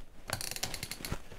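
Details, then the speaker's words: Makita DF-series drill, November 2021 build, all-metal keyless chuck being hand-tightened: about a dozen crisp evenly spaced ratchet clicks as it locks and won't back off; normal chuck locking action. "вот со щелчками затянулся и назад нет вот мы видели об и переключился и теперь можно работать"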